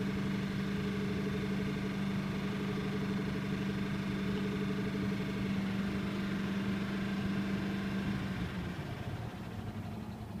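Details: 2008 Ford F250 with 5.4 3V V8, recorded from inside the cab: steady idle with a rhythmic beat about three per second over the engine hum, cause unknown. Engine noise at idle.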